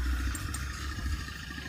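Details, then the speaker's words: Automatic scooter with the CVT cover off: steady engine with a dry clattering rattle from the variator (roller housing) area, which is very dirty inside; worn CVT rollers. "Karena bunyinya berasal dari sini."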